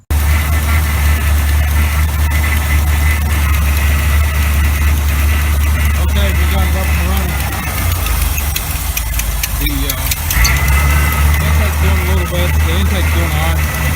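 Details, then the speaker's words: 1986 GMC truck with a swapped-in 400 small block V8, just started after starter installation and refueling, idle run up. Steady deep burble at fast idle, briefly dipping then recovering, no knocks or misses: normal fast idle. "but we've got it up and running everything is good again"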